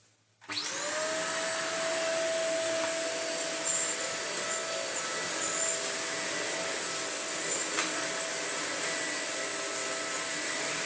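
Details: Broken Shark vacuum fitted with a new non-genuine replacement motor, old motor's sound-deadening wrap suspected of trapping dust and causing overheating: steady even high whine holding pitch, no grinding, rattle or stutter; motor spins up and runs healthy.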